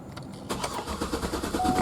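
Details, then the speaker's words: 2008 Cadillac Escalade V8, intermittent fault: starter cranks steadily and repeatedly but engine won't fire, flooded by a faulty purge valve; starts only with throttle pressed. "But what it does is it floods with that purge valve, and you could hear it just crank and crank and crank."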